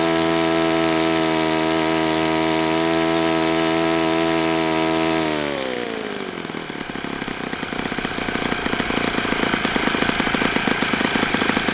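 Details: Enya 46-4C model four-stroke on the bench, 11.5 prop, air bleed opened 1/4 turn, throttle stop adjusted; steady high buzz drops to a loping idle of about four beats a second with a gravelly rattle; owner thinks it needs new bearings.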